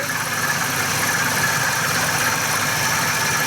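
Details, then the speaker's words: 2011 Ford E350 van, warm engine at idle: steady thin whine over hiss from front of engine, traced to worn idler pulley/tensioner; belt very old and worn; owner had feared cam phaser or timing chain; constant noise mostly at idle. "hopefully that's picking up. And I can tell you right now, I was looking at that belt earlier, and that belt is really old. It's very worn."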